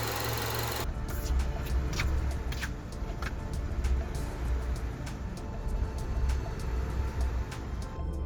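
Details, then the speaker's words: Acura RSX, warm engine, previously low rough idle with stalling, after idle air control valve and throttle body cleaning: low even idle holding steady near 700 rpm with no drooping or hunting; idle healthy, relearn underway. "RPMs are sitting right around 700, perfect, right where they should be, solid. It's no longer drooping down, it's no longer hunting, trying to go up and down."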